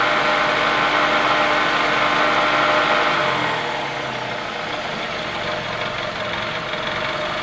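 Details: 2003 Toyota Camry, about 200k miles, after replacing a shredded belt but not the tensioner. Quick regular ticking near four per second over idle, softening as revs drop; lifters, camshaft and timing idler confirmed, original camshaft had snapped, engine replaced.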